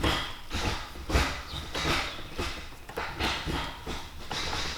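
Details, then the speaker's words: 1998 Honda Civic EK hatch: repeated hollow metal clanks, about one and a half a second, from a shift linkage piece hitting the exhaust hanger; fixed by cutting the piece off. "This part keeps hitting this hanger, and that's what's causing that clanking noise."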